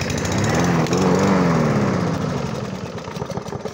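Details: Briggs and Stratton mower with a plastic-bodied engine that would not start, fixed by replacing the worn brake cable: small single-cylinder catches and runs with a steady buzzing note, then eases off slightly; normal running.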